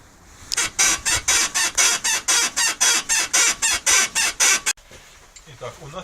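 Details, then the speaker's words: VAZ classic front right suspension: rapid rhythmic high-pitched squeaks, about four a second; sway bar bushing, ball joint or strut suspected before inspection. "Странный, неприятный звук доносится из передней правой части"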